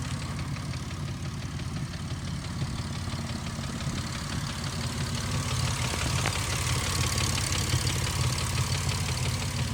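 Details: 2005 Ford Mustang at idle: even idle with light, quick ticking over a deep exhaust rumble; top-end ticking of unclear cause plus exhaust noise.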